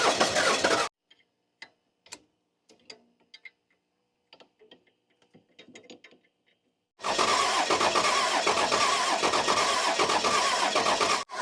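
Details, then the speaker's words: 1994 Dodge Cummins diesel, off the road for years, cranking: the starter churns at a quick even beat but it won't start; the injectors stop shooting fuel as it picks up air. "Okay, stop. Yeah, it's picking up air because they're not shooting now. The fuel pump sounds like it's under load, and then it'll sound high like it's pumping air."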